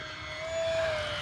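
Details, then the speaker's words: E-flite P-51D Mustang 1.2 m electric RC plane in flight: a clear, steady mid-pitched tone lasting about half a second over the motor drone; battery low-voltage warning, though no warning appeared on the radio. "That's a low voltage warning. Huh, weird."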